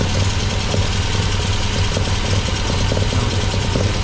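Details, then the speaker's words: MGB with freshly rebuilt Weber 45DCOE carburettor (new jets, float height set), idling cold before reaching temperature: lumpy, uneven low pulse, some beats stronger; owner suspects one choke doing more work than the other; unconfirmed. "what you think about it. It sounds like one choke's doing more work than the other."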